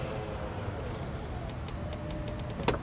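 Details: 2018 Toyota RAV4 during a pre-purchase inspection, power liftgate closed with the key fob: a soft, steady motor whir with light clicks, ending in one firm latch thump as the liftgate closes smoothly and latches.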